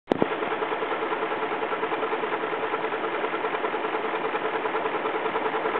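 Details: BMW X5 4.4i at idle, heard through the open oil filler with the cap removed; light, regular ticking at about two and a half per second over a smooth idle. Source not pinned down. Engine ticking.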